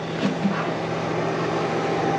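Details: 1982 Fiat 124 Spider heater blower motor, previously dead, powered up: steady low hum with even whir, no rattle or squeal, running on low. Heater blower motor running.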